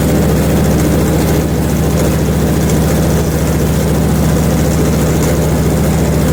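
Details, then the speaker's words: Hud-son HFE30 sawmill after adjusting the guide shoes and cleaning pitch off the blade: steady, even engine drone with the blade turning quietly and no ringing or ching chatter; the mill runs healthy. "residue all right I'm ready to cool and heavy you're out quieted right now not making any noise at all"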